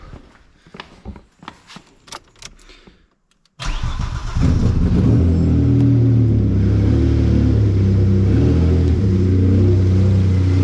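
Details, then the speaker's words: Abandoned Cavalier V6, first start in 3 years using a NOCO Boost Pro jump pack on a dead battery: several uneven cranks, then it catches into a steady, even idle; alternator charging high afterward. "listen to that the V6 is Alive come and celebrate"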